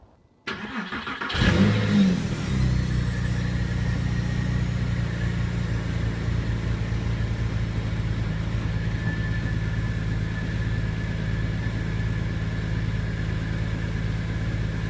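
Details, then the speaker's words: 2002 Porsche 911 996 C4S cold start near zero degrees after IMS roller bearing replacement, gaskets and valves: quick crank, brief flare, then steady even idle with no ticking or knocking; healthy. "it's pretty cold out it's near zero here so it's gonna be a cold start"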